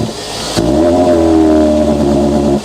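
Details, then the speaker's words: Car with loud intake noise, airbox possibly hanging off, throttle held: revs climb then hit a flat ceiling around 3 (thousand rpm) and hang with a strained drone until released; fine at low revs but bogs and won't rev higher, cause unconfirmed. "basically it's fine that low revs but the second you try and rev it too high yeah it does that sort of M fiery thing and it's definitely definitely not going to rev above that whatever that limit is"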